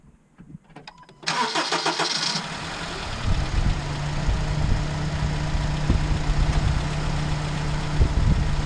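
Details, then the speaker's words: Van with check engine light on and code P0302, surging and losing power while driving: after starting it settles into a rough, lumpy idle with irregular stumbles and no power; cylinder 2 misfire. "as you can see I started it and it's got a rifle idle on it no power"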